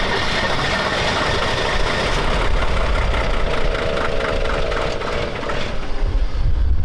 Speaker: Doesn't sound very healthy. What is this thing? It's a diesel.